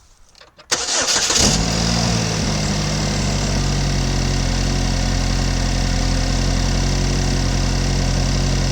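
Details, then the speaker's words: 2015 GMC Terrain with a P0010 code and check engine light, microphone under the hood: engine starts and idles down normally but the exhaust has a raspy, breathy edge; an exhaust leak underneath between the engine and the "KO". "got an exhaust leak somewhere underneath somewhere between the engine and the KO"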